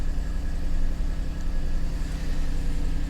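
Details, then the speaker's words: Salvage auction car listed as no start: starts right up and settles to a steady, even low idle with no knocks or misses, oil pressure reading 70, light street background; normal idle. "looks like everything is lit up everything comes to life those starts right up interesting this is listed as a no start it's not supposed to run or anything oil pressure is maxed out at 70"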